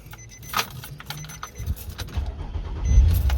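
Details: 2006 Nissan Murano with a no-start fault, after the failed fuel pump was replaced: handling noise, then the engine catches and settles into a steady low rumble. Starts and runs normally.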